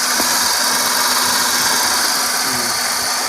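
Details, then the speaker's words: Hyundai 3-cylinder car that would not start, now running after repeated tries: a steady, even idle with a smooth hiss and no knocks or misses; the fuel pump is faulty and keeps acting up. "o ba umandar na siya eh So ibig sabihin nagluluko talaga yung kanyang fuel pump"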